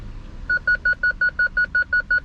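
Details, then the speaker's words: BMW E46 320ci coupe after parking sensor replacement and bumper trim refit: quick even high beeps, likely because the camera is close to the sensor; normal parking sensor proximity warning. "Great. This beeps most probably because the camera is close to the sensor. Yes, it works."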